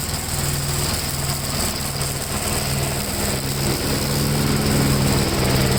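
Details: 1957 Gravely tractor during mowing test after air cleaner service; steady, even single-cylinder drone holding pitch under mowing load, no misses or knocks; engine running healthy.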